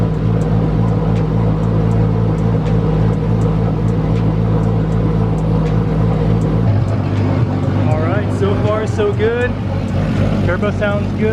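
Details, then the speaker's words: Nissan Skyline engine, first start after rebuild: steady smooth idle with crisp, very loud injector ticking, no whine or knock from the head; fuel pressure solid, AFRs good, coolant 128°F, oil pressure 5.3 bar. "no crazy noises in the head but the injectors are super loud maintaining solid fuel pressure"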